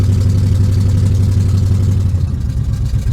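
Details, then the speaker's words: Carbureted Buick Regal, started after priming the fuel pump and pumping the throttle while cranking: steady, even low rumble with no misses or knocks; warmed up enough to keep running, and the battery is charging. "we got some action man we got it running now if we can keep it running that' be good that's what we got to do is keep it running now all right I think it's warmed up enough to stay running which is good that means the battery is charging"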